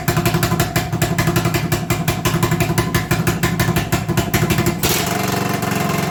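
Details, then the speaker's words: 1980 Honda XL250S single: fast, uneven idle thumping that changes beat partway through while owner turns the carb idle screw; owner suspects he over-adjusted the carb idle earlier and it is idling too high; unstable high idle. "with the idle the way it is i wonder if i've gone much too far and now it's idling too high if i'm lucky that's the cause of this weird idol"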